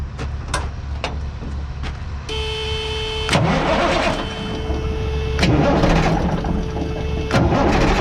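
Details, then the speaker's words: Cummins L10 diesel cranking after a new injector pump install, with the 9/16 return line loosened to bleed fuel: the starter churns steadily at about three and a half pulses a second but the engine doesn't catch yet. "Start it up. Not getting anything out of that yet, but still pumping the fuel through."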